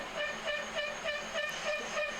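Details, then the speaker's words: Boring head making a broad cut on the worn collar seat in the cast-iron 1943 Hendey 16x30 lathe apron: rhythmic squealing pulse about four per second with high ringing tone; boring tool chatter, yet cut came out good. "as you can imagine with that uh broad of a cut there's"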